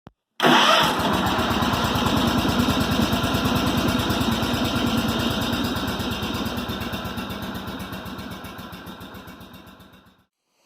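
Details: 1990 Cub Cadet 1882 Super Garden Tractor, Kohler M18 twin: cranks, catches, then lumpy uneven putter that sags and slows before shutting off; very rough start, cause not confirmed, later addressed via muffler repair, new air filter, corroded plugs and stale watery gas replaced.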